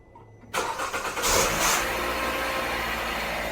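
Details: 2014 Kia Rondo, 50K miles, cold start after sitting overnight in cold weather: harsh grinding rasp for about a second as engine catches, then steady idle; noise absent when weather is warm.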